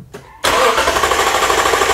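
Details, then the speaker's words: Vehicle whose engine cranks but will not start, being diagnosed with a homemade spark tester and starting fluid to check spark and the fuel pump. The starter spins at a steady, even rhythm but never fires; cause not yet confirmed. "engine cranks but will not start okay partner crank it over"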